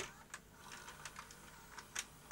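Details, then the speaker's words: Panasonic NV-HS930 S-VHS VCR (Z-mechanism) after its fault repair and leaving service mode, loading a tape; faint light ticks and small clicks as the tape threads, even and unhurried with no grinding or strain; loading normally, fixed. "and we should be good so that's working fine now"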